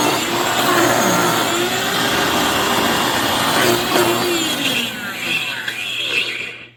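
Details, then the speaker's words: Hoover FloorMate floor scrubber after about 6 months of light use: harsh, rough, uneven grinding roar over the motor whine, sounding like it is eating itself; owner attributes it to failed motor bearings. "So here's our Hoover FloorMate after just about 6 months of light use. It sounds like it's eating itself."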